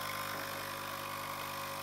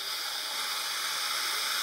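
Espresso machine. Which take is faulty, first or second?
first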